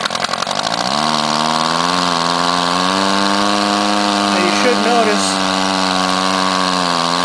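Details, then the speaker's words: Rebuilt Powerwise ink pump air motor on air line in vise, after bearing seal fitted and end cap tightened with crescent wrench: spins up within a second, then holds a clean, steady hum, racing higher from gained compression. Good repair; normal running. "take our crescent wrench tighten it down you can hear the motor racing a little bit higher because we've gained more compression the motor is running running real well"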